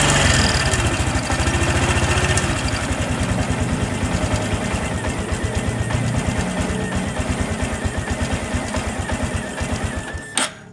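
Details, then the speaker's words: Honda Supra X 125 PGM-FI, battery at 11.5 V, many parts already replaced: heavy uneven idle near three beats a second that never picks up, fading and dying; low battery voltage first suspected, actual fault is ignition switch wiring. "memang setelah saya hidupkan nampaknya ini untuk stasionernya lumayan berat ya teman-teman"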